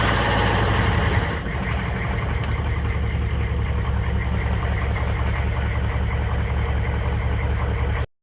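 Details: 6.5 diesel with a working lift pump and oil pressure reading 20, recorded near the exhaust: idling with an uneven, lumpy beat and an occasional missing pulse, a misfire at idle.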